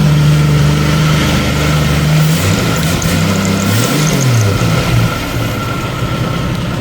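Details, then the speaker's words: 1990 Jeep YJ 4.2L 5-speed after a long no-start: engine fires, stays running, blips up and settles to an even idle, confirming power to the ignition module under the dash; ignition switch is the suspect. "Okay, so we definitely know that we have power to the ignition module in on the bottom of the dash, or it wouldn't stay running."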